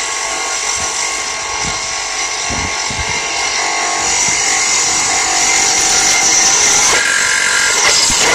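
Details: Subaru Vivio while commuting: harsh loud grinding and rattle with a fast steady beat and metallic edge; engine still runs, rotating component failing, cause unknown (owner suspects belt-driven part), burning smell so engine stopped.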